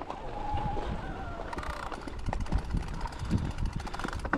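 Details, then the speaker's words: Unno Mith e-bike ridden over a rough noise-test trail: loose metallic clatter in irregular bursts on bumps, coming from the front; rider attributes it to the motor's ratchet, not the steering. "para Sí el ruido viene de trinquete de motor y viene de parte delantera de bicicleta pero puedo asegurar que no es de dirección"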